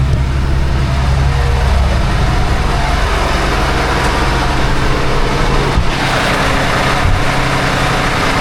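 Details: Port engine of 47 ft Carver motor yacht after repair (bad catchy pulley bearing dealt with), run to about 1000–1500 rpm: steady deep drone, no grinding or squeal, belt no longer flaking; no more noise, supercharger hopefully saved.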